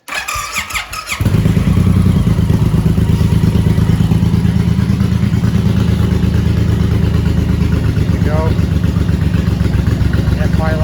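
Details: 2017 Suzuki Boulevard M109R with Freedom pipes and Power Commander, after fitting an exhaust servo eliminator to fix FI light code 46: cranks and fires within a second, settles into steady loping idle, no misses or knocks; FI light stays off.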